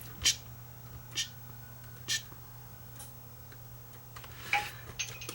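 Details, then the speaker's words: Sony HDR-FX1 camcorder in tape playback: a light, uneven ticking about once a second from the transport while the picture skips and breaks up. Caused by a seized take-up reel hub gear. "Definitely not a good sound. And of course it makes the picture break up."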